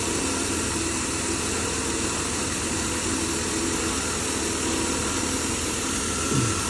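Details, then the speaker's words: 2010 Chevy Impala 3.5 petrol V6 idling with a steady even hum, no stumbles or shaking, after cleaning the crankshaft position sensor that had caused a bad rough, shaking idle. "was shaking bad before I cleaned that clean sensor. Now it looks real good. It's not shaking no more."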